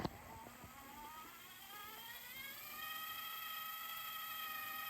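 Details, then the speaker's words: Sony DTC-75ES DAT deck under restoration, after new gears fitted and about two hours adjusting the undocumented sensor; faint motor whir rising in pitch over three seconds then holding steady as tape fast-forwards smoothly; normal fast-forward winding. "now it's fast forwards and Rewind so you see was fast forward and now rewind"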